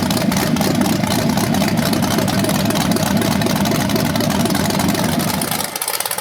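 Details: BluePrint 396 big-block crate engine for a 1970 Camaro SS, first run outside after oil priming and a timing check: even, lumpy idle rumble with no knocks or ticks before shutdown. It sounds healthy with no leaks.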